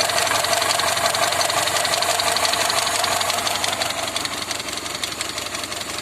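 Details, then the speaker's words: Tavria engine, cold, idling with valve cover off after valve check: fast, even ticking idle with steady rhythm and no knock; sounds healthy. "Никаких стуков нет."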